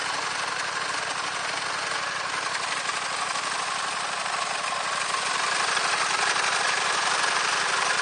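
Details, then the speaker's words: Gravely 816 tractor rebuilt with a Honda GX690 engine replacing the dead original, with a home-made exhaust, started before the wiring was done. Even, steady engine beat with a light mechanical rattle and no misses or knocks. Normal running. "et voilà donc le moteur est bien adapté"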